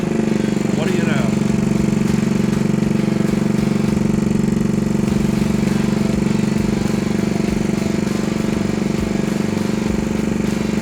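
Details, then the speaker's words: 1964 Honda Super Cub CA102 after a full top-end rebuild: quick even putt-putt from the small single, steady through blipped throttle and back to idle; running healthy and smooth. "that sucker sounds good doesn't it drop that idle down just a minute"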